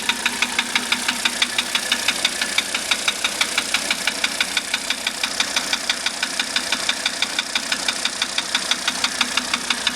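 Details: 1985 Mercedes 300D diesel at idle, just revived with rebuilt starter, valves adjusted, new glow plugs and diesel purge: sharp regular ticking knock about three per second over a steady rattle; engine knock, source not pinned down.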